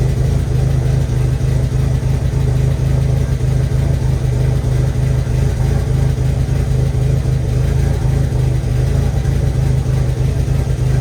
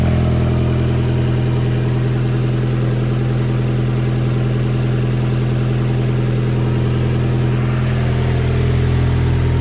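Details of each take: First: 1.8T engine at its first start after a build, a low, uneven idle with an irregular stumble, almost like a slight misfire, from incorrect ignition timing; it is still burning off leftover oil on the exhaust. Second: 1.8T four-cylinder turbo petrol engine on its first start, idling smoothly with no misfire and a slight noise while oil smoke burns off; an earlier stumble was timing not set right, not a misfire.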